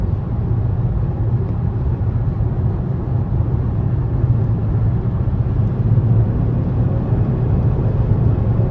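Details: 2017 Nissan Rogue Sport/Qashqai MR20DD, driving with AC on after replacing the faulty VIN J relay (P0626, crank-no-start): a steady, smooth low rumble with no surging, knocking or misfire under road noise; the engine is running normally.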